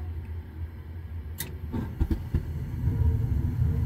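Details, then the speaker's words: Trane XV80 furnace that fired but would not blow, after soldering in a replacement for a blown thermistor: a few sharp clicks, then a low rumble building and holding steady as the burners light, fan motor working; normal burner ignition. "can hear it turning on the burners she goes fan motor working"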